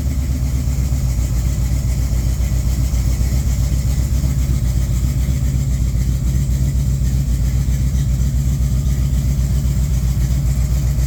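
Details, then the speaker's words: Mild-build 1972-casting Mopar 340 V8 bored .030, Summit flat-tappet hydraulic cam, 2.02 heads, Street Dominator intake, Holley 600, run at -15 °C; smooth even idle with steady low lope, no knocks or ticks; smoother cam than usual, sounds okay; normal idle. "Little smoother of a cam than I'm used to. Still sounds okay. Sounds like a 340, I think."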